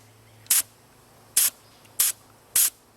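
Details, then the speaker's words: Over-inflated tire at 36 psi is bled toward 32 psi with four short, sharp hisses of escaping air, each about a tenth of a second; air release hiss. "So I'm going to let a little bit out until I'm right on 32."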